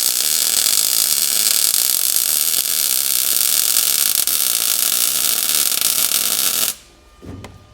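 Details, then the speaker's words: New welder, from usaweld.com, used to weld up tall backside welds on a 1937 Lincoln Zephyr: steady, crisp crackle and fast, even snapping for several seconds, then stops; a hot, well-set arc. "You can hear that snap. It's just a hot arc. I really like it."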